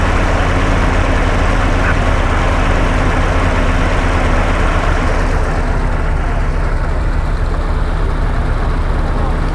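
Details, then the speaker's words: Hotchkiss (Willys) army jeep being tuned: after idle adjustment, low steady idle holding an even beat without hunting or stumbling; normal idle, though unburnt petrol still smelt at the exhaust. "that's running at more acceptable level. We just need to rev it a little bit just to clear things out, and then we're just listening. Okay, that sounds good."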